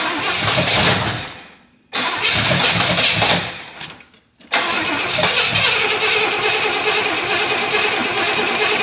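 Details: 1977 Pontiac Grand Safari wagon, 301 V8, parked since 1996, fed by pouring fuel into the float bowl with no output from the fuel pump: catches, runs briefly, dies twice, restarts unevenly; carburettor suspected completely plugged.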